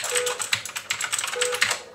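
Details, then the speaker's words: SteelSeries 6GV2 mechanical keyboard, non-backlit, Cherry MX Black linear switches, typed for comparison with the Blue-switch Allreli K643: quick, irregular soft key clacks with no sharp click on each press, much quieter; normal linear switch typing. "Et on va voir qu'il fera beaucoup moins de bruit."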